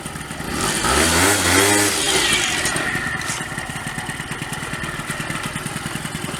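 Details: Honda Dio 34 two-stroke scooter, bought with a bearing knock and rebuilt, started outdoors in severe frost. It settles into a quick, even popping idle with no knocks or rattles and runs like clockwork. Normal idle.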